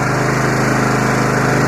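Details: Free 20 hp Yard Machines lawn tractor with a 42-inch deck, whose starter would not engage from the key switch but worked with the battery applied directly (mouse damage suspected); it runs with a steady, even single-cylinder drone and no misses or knocks.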